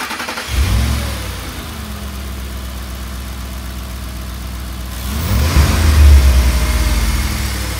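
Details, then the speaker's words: 2004 Ford 5.4L 3-valve V8, 160,000 miles, after Cloyes VVT cam phaser and timing set replacement, timing set: startup cranks, catches and settles to an even idle, then a rev, with no chain rattle. "all right all components have been replaced timing set BB tees we're now doing a startup to make sure there's no rattle and no codes thrown"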